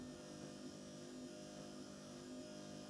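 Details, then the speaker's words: 1986 Citroën 2CV Dolly after replacing worn, clacking wiper linkage and spindles and resetting park position: even motor whir, soft steady sweep rhythm, no clacking from the linkage; normal wiper operation. "certainly sounds good there we go"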